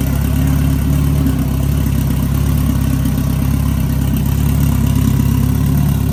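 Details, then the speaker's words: Big-turbo Honda F20B EG hatch freshly started after new TPS and throttle body refitted; deep even idle, steady rumble, no misses, knocks or rattles; sounds good, normal idle. "That's gonna go ahead and end it for this video. You've seen the hatches running, sounds good."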